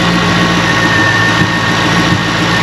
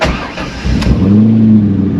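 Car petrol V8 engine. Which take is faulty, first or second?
first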